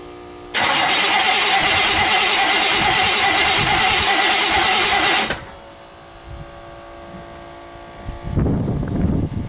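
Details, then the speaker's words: 1964 Buick Skylark V8 with an electric fuel pump, after sitting about 6 months: a steady crank, then it fires after a few pedal pumps and is left to idle and warm up. Normal start after storage. "Just a few pumps and she's fired up. Let it sit idle, warm up a little bit and just see how it does."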